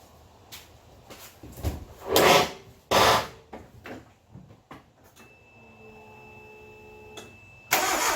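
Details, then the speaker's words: Geo Metro after in-place engine rebuild (hone, re-ring, rebuilt head, new rod bearings), first start attempt: starter churns in uneven bursts with good compression but never fires; no fuel because the camshaft position sensor was unplugged. "Well, compression sounds good. Let's see if we're getting fuel. Don't think we're getting fuel."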